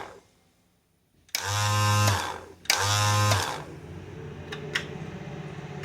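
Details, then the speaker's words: Cub Cadet 1882 garden tractor after a wiring overhaul, PTO off: two sharp clicks, each followed by about a second of low hum as the starter solenoid pulls in; solenoid working normally. "So solenoid's working. You hear it clicking."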